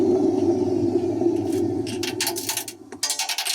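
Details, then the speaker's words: Hoover Nextra HNL6166 (6 kg, 1600 spin) washing machine on spin: gritty droning rumble as the drum turns, then rattles and clicks as it slows; the drum bearings are badly broken. "yep the drum bearings are gone Jesus"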